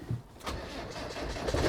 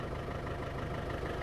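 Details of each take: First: Land Rover Defender 300Tdi diesel after injector seal replacement: long crank, then it stumbles into a lumpy, uneven run that slowly firms up; air let into the fuel system. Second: Land Rover Defender 300Tdi diesel just restarted after replacing injector seals for suspected compression and oil/diesel leak: even, steady diesel idle rumble, no misses, knocks or hunting; running cleanly.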